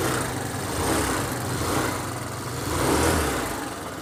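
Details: Hero Duet scooter after tightening a loose part that had caused odd noise: even, steady low idle with slight rev rise and fall, no knocking or rattle; normal idle after repair.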